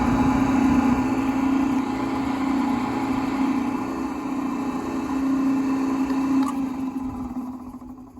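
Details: Maytag batch-feed garbage disposal (American-made, magnet-switched plug, stainless grind chamber and undercutter blade): a steady mid-pitched motor hum holds for several seconds, then winds down smoothly with no grinding or rattle; healthy, powerful motor.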